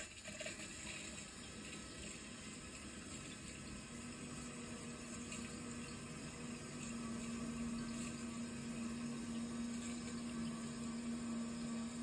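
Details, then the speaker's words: Hot water boiler heating system being refilled after flushing sludge, radiator valves closed: steady, even rush of water with faint soft hum, no knocking or gurgling; normal refill flow. "so far so good sounds like it's filling up"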